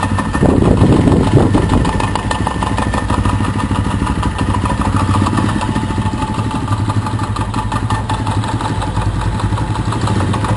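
Single-cylinder motorcycle idling with a rough, rattling mechanical rumble from a worn crankshaft main bearing.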